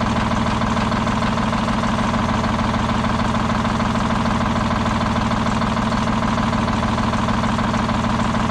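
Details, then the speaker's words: Old Detroit Diesel 6-71 two-stroke, last run before removal: steady heavy idle with a regular skip about three a second, engine shaking; one cylinder not firing, raw fuel dumped out the exhaust. "you can hear the skip in it how bad this thing shakes it's a shame but all that raw fuel getting dumped out of the exhaust from that cylinder that's not firing"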